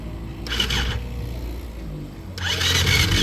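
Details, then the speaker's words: Engine that smoked badly and died, being cranked. It spins over in quick, light bursts with no compression chuff or firing. Owners suspect broken piston rings or the piston, possibly the timing chain; not confirmed. "Yeah, ain't no compression. Yeah. That bitch it done fucked the ring up, bro. You probably re-ring and that bitch will fire right the fuck up."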